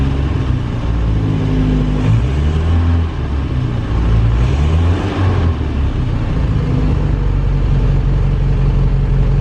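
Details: 1937 Morris 8 918cc pre-war four-cylinder on a short early test run after recommissioning and fuel and ignition checks, not yet fully warm: steady low even throb, revs rising and falling smoothly, no knocks or misses; runs fine.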